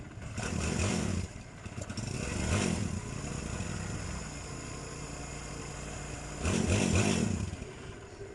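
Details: Barako 2 motorcycle engine after a tune-up and timing chain tensioner reset: idles evenly between three quick throttle blips that rise and settle cleanly, no chain rattle or ticking; sounds healthy.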